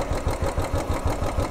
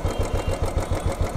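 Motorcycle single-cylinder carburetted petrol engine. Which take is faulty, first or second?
first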